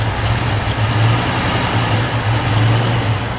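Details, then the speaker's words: Abandoned 1969 Ford F100 sat over 30 years, V8 idling smooth and even with no internal knocks or ticks and no smoke, after running a hot wire from battery to coil to bypass switch power loss; fuel pump still not pumping. "it cranked right up. It's idling, it sounds pretty good, no internal noises, I haven't noticed any smoke."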